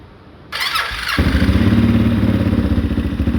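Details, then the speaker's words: 2013 Honda Rincon 680 ATV, first start after a new cam replaced one that seemed locked: a rough crank, then the single fires and settles into an even, steady thump at idle, running normally. "So me and Chris over here are about to crank it up for the first time after hooking everything back up and see if she'll run. So here we go. Got everything topped off. Oh, it started."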